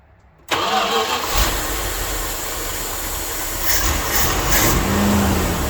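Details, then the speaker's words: Dodge W300 Club Cab truck, previously missing on several cylinders and smoking heavily, started after re-gapping spark plugs found with almost no gap: uneven lumpy idle with a stumbling beat, still missing; owner hopes a road drive will clean the plugs, else replace them. "Well, it still sounds like it's got a miss, so I'm gonna take it down the road and try to blow it out."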